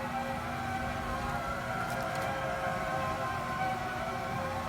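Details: New Raypak pool heater, installed a couple of weeks ago: steady wavering howl in upper mids over low blower hum; abnormal howling noise, cause unknown.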